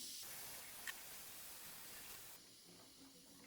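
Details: Bleeding a combi-boiler central-heating radiator: a steady airy hiss of trapped air escaping suddenly drops to quiet gurgling as water fills the radiator, and the radiator then heats fully.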